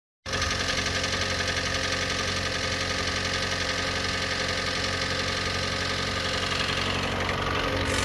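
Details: 2013 Hyundai i30 GD 1.8 A6 hatchback petrol engine idling with a hollow, uneven knock about four times a second: piston slap, per TSB 21-EM-001H.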